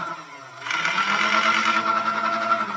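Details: Nerf Blaster Scooter firing motor after repair (corroded contacts and switch cleaned), fire button simulated by shorting two pins on the four-pin connector: motor spins up abruptly to a steady high buzz and holds an even whir, running normally.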